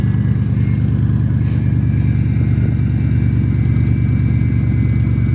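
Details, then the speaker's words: 1995 Lincoln Town Car V8 at cold start idling with a faint steady high whine and light rattle from a bad idler pulley. "It's got a bad idler pulley. That's what that noise is."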